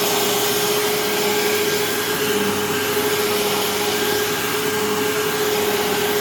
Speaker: I mean this this darn thing is the loudest thing so far [Applause] so yeah I mean this thing I it sounds a little rough but it runs fine which is good